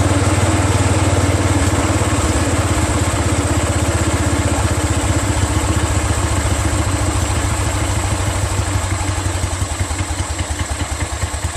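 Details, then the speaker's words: Exmark Metro 36 commercial walk-behind mower with Honda GV400 single-cylinder engine, curb find, first run on fresh gas after a recoil starter repair. Even, steady putter at idle, about three beats a second, no misses or knocks; smooth, healthy idle. "are you guys completely amazed as I am look how that's idling it's purring like a kitten man this is one of the smoothest sounding engines have had that's freakin unbelievable man"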